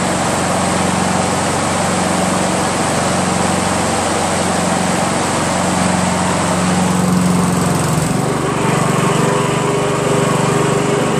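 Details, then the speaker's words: Honda Harmony HRM215 SX self-propelled mower, GXV140 engine; runs steady and even at full throttle, then is lowered to a smooth slower speed around eight seconds, no misses: normal running. "he's right engine starts up great"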